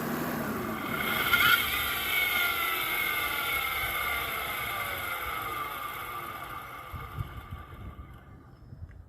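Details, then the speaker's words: 2006 Toyota Avalon XLS, revved then key turned off with a metal bar held on the alternator: a high whirring roar keeps going after the engine stops and slowly falls in pitch as it coasts; alternator bearing noise. "it sounds like something is free spinning inside the alternator where when you turn the key off it's not stopping when the rest of the internal components um stop it's still just free spinning"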